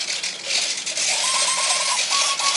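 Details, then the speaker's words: E-flite Beast UMX with AS3X, battery plugged in and armed, moved by hand: rapid light servo clicks and short buzzy whirs as the AS3X stabilizer works the control surfaces. Normal gyro stabilization. "that's the as3x processor trying to figure out just what the heck am i trying to do here so what as3x does is it keeps the plane stable it keeps it at the attitude that you put it in"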